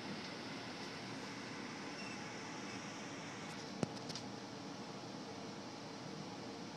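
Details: Frigidaire hot air gas furnace with a no-ignition fault, after the high limit tripped and the inducer cycled: smooth steady blower airflow hum with no rattles, scraping or speed wobble; blower running normally.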